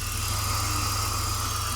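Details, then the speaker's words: BMW E46 330i with M54 engine idling after drive belt kit replacement to cure a belt squeak, secondary air now shut off; steady smooth hum, whisper quiet with no belt or tensioner squeal, chirp or rattle. Normal idle. "And it is whisper quiet. We have no belt noise, we have no tensioner noise."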